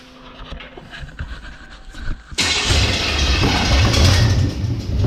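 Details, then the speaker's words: Small-block Chevy V8 in a custom rat rod truck, first start: starter cranks about two seconds, then it catches into a strong, even, lumpy idle with good oil pressure; healthy start. "yeah not bad good oil pressure sounds pretty good"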